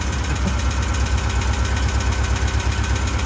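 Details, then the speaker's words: 1988 Winnebago LeSharo, parked all winter: heavy, uneven low chugging about two pulses a second and lacking power, still present after an electromotive treatment. "it's still chugging along i just took a little quick trip around the parking lot here and it's still chugging along doesn't have as much power"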